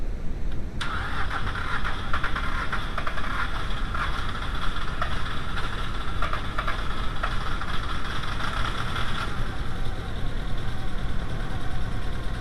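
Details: VW A4 with 2.0L AZG engine, no-start fault: steady starter cranking for about eight seconds at even rhythm, never catches or picks up speed; cranks but won't fire.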